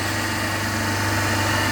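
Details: 3-phase induction motor coupled to DC compound machine, third phase cut, no load: loud steady mains hum with slow throbbing growl, about 1484 rpm in balanced run beforehand; single phasing, motor running on two phases.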